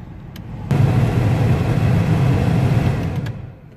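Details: 2008 VW T5 Transporter heater blower after replacing a knocking, damaged blower motor, test on speed 1: steady low whooshing rumble, no knocking or rattle, healthy fan.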